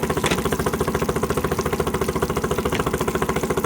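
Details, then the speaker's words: Honda BF10D long-shaft electric-start outboard on water muffs, running in forward gear: even, steady putter with no knocks or rattles, extremely quiet and smooth, normal running. "as you can hear the motor is extremely quiet runs nice and smooth"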